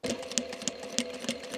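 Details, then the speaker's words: Sewing machine stitching microfibre with a burred needle, about three stitches a second, each a hard jerky tick like piercing foil; burred needle needs replacement. "Mam nadzieję, że słychać takie jakby szarpnięcia, czy pukanie. Tak jakby ta igła przez foli się przebijała."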